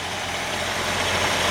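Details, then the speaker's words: 1956 Jeep Willys 4x4 with a 3.8-liter Buick engine: smooth, even idle with a soft steady hum and no knocks or ticks, runs perfect; normal idle. "3.8 liter Buick, runs perfect."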